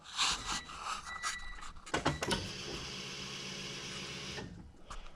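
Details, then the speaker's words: Honda EG hatch after the tank was drained and cleaned, with a Walbro 255 fuel pump and new fuel filter fitted. Some clatter, then a loud, steady whir for about two seconds that stops cleanly: normal fuel pump priming. "no pump kicking oh it's pretty loud it's awesome it's working"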